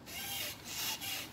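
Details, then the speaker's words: 2012 Volkswagen Passat removed stabilizer bar worked by hand: two or three dry creaking rubs; joint has excessive play where a new one stays tight, causing the speed-bump creak; bar and links replaced. "이게 이제 반지타 넘을 때 이 소리 있죠. 이렇게 원래 움직이면 안 되는데 이 유격이 많이 있는 거예요."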